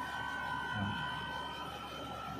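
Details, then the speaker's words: Window-type aircon after repair; drone on cooling mode, now fixed: soft, even hum with faint steady fan and compressor whine, no rattle or drone; normal running. "So okay na yung arcon natin guys aan wala na yung maugong na tunog"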